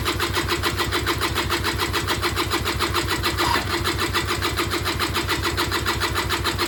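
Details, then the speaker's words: Auction-bought Peugeot Speedfight 2 100cc two-stroke scooter with Leo Vinci exhaust, first start attempt after long disuse, fuel just reaching carb: steady starter cranking about 3.5 turns a second, no firing; cranks but won't start, cause unknown. "So yeah, I'm gonna give it another go, see what happens. I haven't heard anything fire yet."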